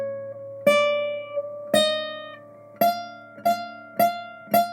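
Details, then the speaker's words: Guitar made in Australia that dried out after moving to dry Colorado: single plucked notes ring with a faint buzzy edge, probably a high fret from loose, lifted fret ends, confirmed by tapping the fret ends with a screwdriver. "Obviously, that's no good. Technical term for that is bad. So this is probably a high fret."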